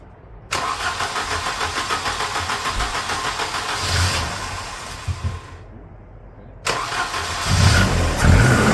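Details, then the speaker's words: 1988 Volvo 240 barn find during restoration, starting: cranks, catches, stumbles unevenly, dies, cranks again; hard starting and rough running; owner may open an adjustment a bit more and suspects it just needs choke. "Um, I might adjust this so it's open a little bit more. We'll see. It may also just need choke, which is what's going to help"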